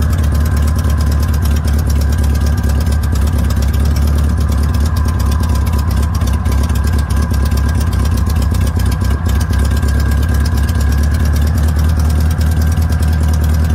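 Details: VW notchback with an air-cooled flat-four, test drive after a rebuilt 32 PHN carburetor: a steady fast idle. The owner set the idle high on purpose; the accelerator pump part is unobtainable and the engine runs poorly.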